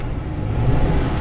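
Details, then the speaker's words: Ford just after fuel filter change, pump primed ten times then started: deep idle that wavers and stumbles from air in the fuel system passing through the regulator, then smooths out; harmless. "Got a little air in the system from where you change the filter. Gets through the regulator. There we go, it's gone."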